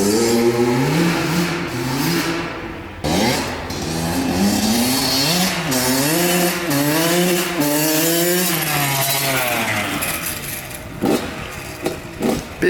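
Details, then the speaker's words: Honda CR80 two-stroke with a Keihin PWK 28 carburetor from the CR85: revs rise and fall in blips, rich and blubbery at the top but pulling crisply low and mid; loading up, later traced to a fouled spark plug. "it sounds like it's loaded up at the top but I do notice that it pulls really [ __ ] good at the bottom at Mid so it might need a little bit more tuning"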